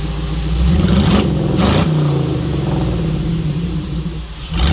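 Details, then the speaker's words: Jeep V8 with multi-port fuel injection, new exhaust, after correcting the injection setting in the tune that caused a serious miss: even idle rising cleanly through quick revs, all 8 cylinders firing, no stumble. "All 8 cylinders are kicking. Nice and smooth, sounds good. It sounds really nice. Idling perfect."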